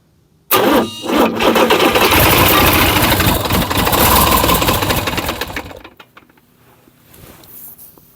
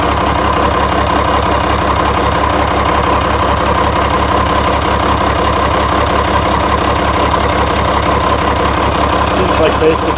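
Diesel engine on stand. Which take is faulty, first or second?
first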